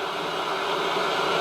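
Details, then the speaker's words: 1970s Bush VTR178 multiband radio, reported not working on mains, powered up slowly on variable supply: around 130–140 volts it comes to life with steady even static, no buzz or crackle, current draw barely registering; runs normally on mains. "so we're up to 90 volts nothing yeah no current draw oh I can hear the radio coming to life 130 volts 140"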